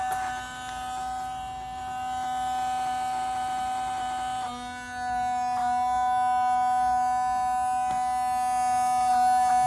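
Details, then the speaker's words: Mercedes 500E W124, engine off, lights on: thin steady electric whir from the driver's side headlight wiper motor running nonstop, passenger side quiet; apparently fed by the lights circuit, not yet investigated. Headlight wiper motor running continuously. "okay so if you look at the lights being on as you can hear something is on on this headlight"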